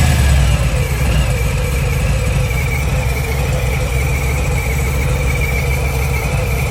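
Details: Milwaukee-Eight 114 V-twin idling: loud steady beat with a fast, uneven light ticking and buzz from the cam area; source not clear.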